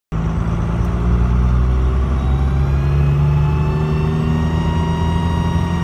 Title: ‘99 24v Cummins Boost leak??